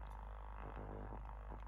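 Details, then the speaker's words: Cerwin-Vega E-208 woofer, about 25 years old, foam surround detached from basket, driven by a tone generator before refoaming: deep low tone buzzing and rattling unevenly in bursts as the loose surround flutters. "but since the outer foam is not attached to the basket we're going to get quite a bit of Jitter and flutter and you're going to hear some resonance"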